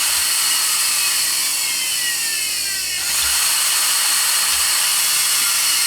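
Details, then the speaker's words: Pfaff 332 sewing machine, 1.3 amp motor, after rewiring the electrical system: with the foot controller pressed, a smooth whir climbs like a small turbine and then winds down; normal motor run-up. "got a happy motor. Doesn't that thing sound cool? I just love this motor. It sounds like almost like the turbine type jets, where it's just like roaring to life, and then it's like coming down to to an end as far as that power being discharged from it."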